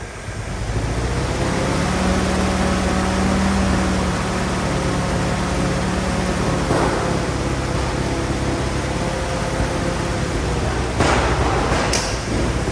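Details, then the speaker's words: Old Willys Jeep four-cylinder that sat for years, revived, with the mixture adjusted. It ticks over at a steady, even idle with no misses or knocks; normal idle. "I'm going to go and put the rest of this in the tank uh she's a runner a dang it it sounds good"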